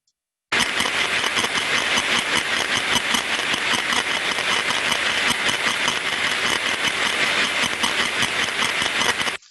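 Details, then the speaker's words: Ultrasound recording of a recently refurbished rotating asset: harsh, hissy scratching and crunching bursts that swell in amplitude, a friction sound first pointing to lubrication. "so you hear when we get to the increase in amplitude we hear the crunching sound which would under experienced ears sound like an increase of friction"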